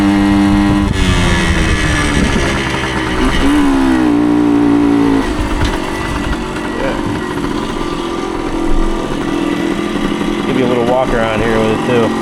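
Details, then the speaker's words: 1975 Suzuki TS125 Duster two-stroke after carburetor cleaning and reassembly: steady crisp idle with clean throttle blips, revving cleanly through the range, mechanically quiet with no knocks or rattles; still burning off excess oil from long storage. Normal idle. "too you can hear the engine is mechanically quiet no rattles VI ations nothing like [Music] that ex it's pretty quiet"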